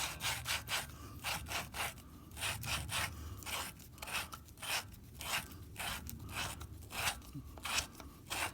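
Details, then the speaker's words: Hercules Pony engine with head off during teardown: gritty rasping strokes about once a second as valves are hand-lapped into seats with compound using suction lapping tool, valves not believed bad, done while open. "It'll put a little bit of pressure on it. You hear it grinding."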